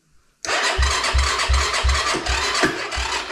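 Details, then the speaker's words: Diabolini 250 Chinese cross bike, freshly refuelled: catches after a brief crank and settles into an even, soft idle with a quiet exhaust, dB killer removed; sounds healthy. "Tak, nawet fajnie chodzi ten chińczyk. Tak cichutko. Wydech nie jest taki kurde głośny strasznie."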